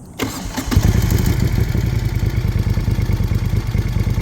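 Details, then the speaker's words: 2017 Moto Guzzi Griso 1200 V-twin after clutch plate and bearing set replacement, cold start with service light on: quick crank, catches on one touch, settles into even lumpy idle about three beats a second; normal start and idle. "Yeah. That does not always happen on a cold start."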